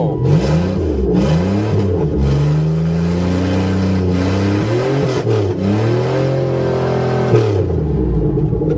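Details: Buick Regal after repair, plate scraped clean for good ground: engine revs up and down cleanly several times, pitch rising and falling smoothly with throttle, no misfire or stumble; running properly.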